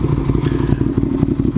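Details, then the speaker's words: 2009 Ducati 848 after reconnecting the disconnected fuel pump hose with fuel injection clamps: lumpy, loping twin-cylinder idle with a steady pulse and no stumbling; idling properly, repair successful. "this is after my repair as you can see I was successful"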